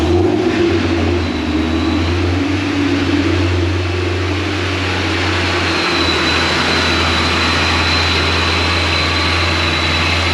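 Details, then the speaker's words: Supercharged Pontiac GTO at the dyno as tuning starts. Loud low idle that swells and sags in pitch every few seconds instead of holding steady. Idle surging. "Hopefully the surging goes away. Definitely don't want this thing to be surging. You guys can't see me, it's too dark. But so far right now, still surging."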